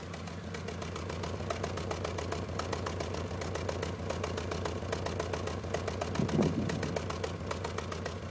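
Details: 1994 Honda Accord after head gasket replacement, milled head, new timing and balance belts and NGK plugs: uneven idle with irregular ticking and lumpy stumbling beat about three to four per second; cylinder 4 misfire, dry #4 plug, no check engine light.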